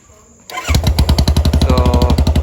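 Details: Royal Enfield Classic 350 single-cylinder with muffler and heat shield removed, startup recorded about one foot away; sharp start then heavy, even undamped thump around eleven beats per second; loud open exhaust without muffler.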